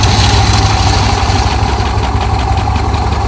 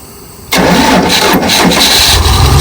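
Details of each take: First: Dodge 360 V8, long unused, started cold on choke after refilling antifreeze. Steady, even low idle; the earlier rattly, clanky noise is gone. Normal idle. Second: Dodge 360 V8 sitting for years, cranking with choke pulled: fairly steady chuffing beat, compression now much stronger than before, but one stroke sounds softer. Uneven cranking compression; one cylinder suspected low, possibly a burnt valve.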